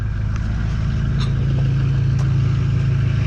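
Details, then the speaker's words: 2006 Ford Super Duty 6.0 Powerstroke diesel just after replacing the failed fuel pump/HFCM and fuel filters, fuel pressure restored: deep idle with slight uneven lope and faint clatter, a little rough from air still in the fuel system; rough idle from air in fuel system. "still a little rough because there's air in the fuel system still but it's a lot better than it was"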